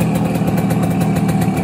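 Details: 1971 Kawasaki G3SS 90cc two-stroke being revived, fuel tank resealed: quick, even putter at about seven or eight beats a second, steady with no stutter; healthy idle.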